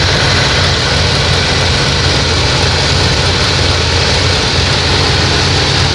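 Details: 1988 Plymouth Gran Fury petrol engine idling steadily, with a fast light clicking running through the low rumble. The cause is unknown.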